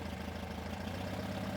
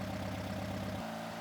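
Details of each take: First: 1971 VW Super Beetle, fresh 1800cc stroker engine on break-in run, 38EGAS carburetor: idle mixture screws turned in until the engine starts to stumble, giving a lumpy, uneven lean idle with small speed dips. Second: 1971 VW Super Beetle, fresh 1800cc stroker engine during break-in, 38EGAS carburetor: mixture screws set and idle screw adjusted to about 850–900 RPM, giving a smooth, even idle with a steady throb and no misses or knocks.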